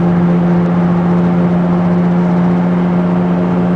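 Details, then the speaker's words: 2002 VW Beetle TDI on a road test: droning starts around 30 mph in third gear and grows louder with speed, persisting in neutral; steady low hum over road noise; bad passenger-side front wheel bearing, later replaced. "There comes that droning like. It was in third gear."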